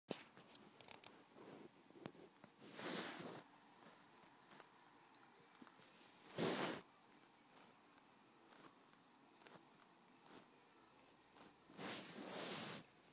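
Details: April 2010 15-inch i7 MacBook Pro: three short, crunchy metallic creaks a few seconds apart, each as the aluminum body is pressed, otherwise near silent.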